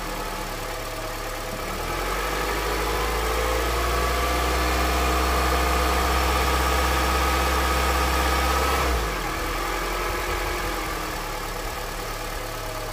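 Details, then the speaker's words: Honda CR-V with 200,000 km, cold engine on 5W-30 oil near 5,000 km old: the idle deepens when shifted from neutral to drive, with a faint steady tick about four per second under the drone; a knock whose cause is not pinned down. "Сейчас я поставлю на треногу и пойду включу передачу драйв чтобы услышать этот тук масло 530 мотор холодный нейтралов драйв а"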